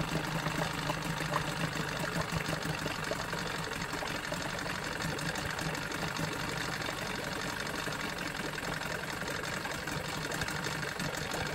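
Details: Johnson 9.9 outboard after carburetor rebuild and new plugs: quiet, even idle with soft regular patter, no surging or stumbling, running smoothly at low speed; normal idle.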